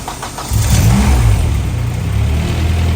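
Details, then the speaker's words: 2001 Civic, 300,000 miles, with a K24A swapped in and converted from auto to manual, on its first start after oil-priming cranks: it catches quickly and holds a steady, even idle with no misses or knocks. An O2 fault shows up right away. "There it goes. Somebody's over here. She's running though."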